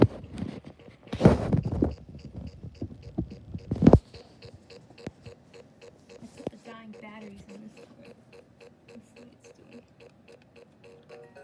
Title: Low battery Vtech Ferris wheel toy malfunctioning/making weird noises